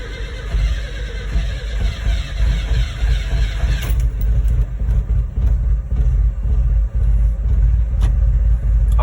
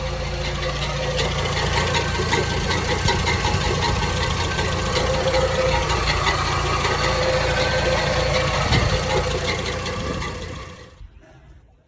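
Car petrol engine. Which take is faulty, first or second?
second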